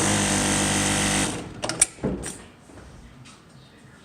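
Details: Juki LU-1510N-7 single-needle walking-foot machine with trimmers and auto foot lift, run fast on pedal: fast, even buzzing stitch rhythm for about a second, then winds down with a few clicks; normal smooth running.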